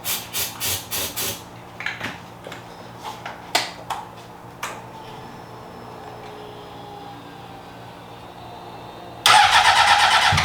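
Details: 2003 Honda CBR600RR, first start attempts on a newly acquired project bike: long bursts of starter cranking with brief sputters that never catch. Crank no start.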